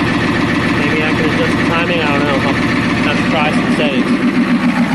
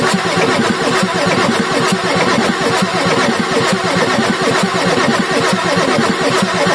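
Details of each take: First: Ford F350 with 6.9L IDI diesel after injection pump replacement and bleeding the air out; steady diesel clatter at idle, roughly 214 even beats a minute with no clear stumbles, though owner suspects a dead cylinder. Normal diesel idle. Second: Ford F350 6.9L IDI diesel after injection pump replacement: steady, even starter churn of about one beat per second with no firing, long crank purging air through the injector lines; starter then rested to cool.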